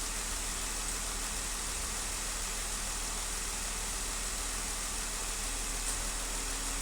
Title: 2015 Wrangler Cylinder 1 Misfire